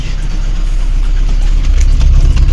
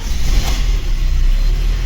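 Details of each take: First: VAZ 21099 engine at idle, head previously repaired with valve seats replaced 20,000–25,000 ago: deep lumpy idle with uneven beat around two per second and shaky rhythm; fourth cylinder lost compression and misfires, not overheating; head to be removed. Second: VAZ 21099, first start after cylinder head repair for a misfire from lost compression in cylinder 4, coolant not yet filled, valve lash set to exhaust 0.40 and intake 0.25: steady low, even, quiet idle with no misfire. Normal.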